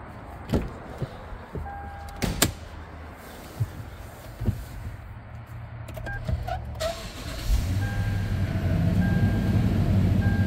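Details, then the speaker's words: 2013 Toyota Land Cruiser 200 Series, 228,293 miles, cold start: a few clicks then the V8, said to sound like a 5.7, catches around seven seconds and settles into a smooth even idle, no warning lights, no knocks or misses. "going 228 293 on the miles no warning lights everything looks great here sounds like a 57"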